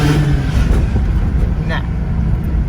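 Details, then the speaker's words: Mazda RX8 with bridgeported rotary on stock ECU, after idle-issue fix: drops back from a rev and settles into a steady, even idle that holds instead of dropping as it did before the fix. "it stays right where it's supposed to be that's it i love the way this car drives"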